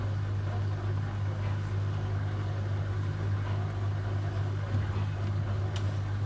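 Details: Hotpoint Aquarius WMA58 washing machine on a test spin: steady deep rumbling roar from bad drum bearings; the machine was scrapped because of them.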